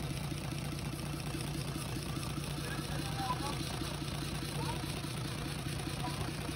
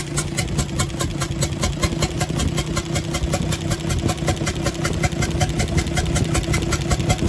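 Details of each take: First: UD Nissan PKD 411 truck, NE6 six-cylinder diesel, during an oil-flow check with the tappet cover off: steady, even idle with a low chug around two beats a second and no knocks. Normal idle. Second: UD Nissan PKD 411 truck, NE6 six-cylinder diesel at idle, intake pipe opened: sharp, regular chuk-chuk about two to three times a second from the intake side over the diesel clatter. Rockers checked fine; an intake valve is leaking, and valves are being replaced.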